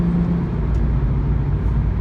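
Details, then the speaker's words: 2004 Nissan G35X sedan at highway cruise after removing the heat shield that caused a rattle; steady, smooth low engine and road drone with no rattle or buzz, i.e. normal after the fix. "we got the heat shield off the car it sounds beautiful my guy"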